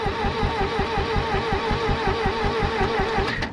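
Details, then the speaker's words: International 2400B tractor after points cleaned and spark confirmed, out of fuel; uneven cranking thumps under starter whine, brief catch then dies, fires but won't run without gas. "gas hmm all right got me a fuel tank and a little squeeze Magis and uh let's get this thing revised"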